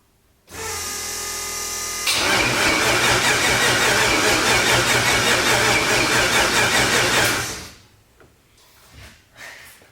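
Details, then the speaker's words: RX-7 (990 HP) first start after rebuild following cracked piston: catches after short crank, runs harsh and uneven about five seconds then dies, not banging or popping; rough running caused by huge vacuum leaks on the backside of the engine. "that don't sound good it's not even like banging and popping over am i missing something oh hold up just kidding this thing's got like huge vacuum leaks on the backside of it"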